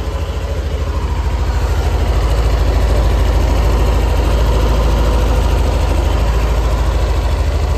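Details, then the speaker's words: Yamaha NMAX Neo (third generation) scooter idling just after changing to Shell engine and gear oil: even, regular low putter with no roughness or knocks; normal idle. "Kalau menurut saya sih ya biasa aja sih, nggak kasar."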